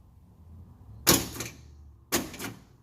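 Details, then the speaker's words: G-body car door lock actuator bench-powered from battery via homemade jumper: two crisp clacks about a second apart, lock then unlock, clean and quick. Normal actuator operation; harness or push-button module still suspected. "check the lock out working like like it's supposed to that was unlocked it's lock so working like it's supposed to y'all"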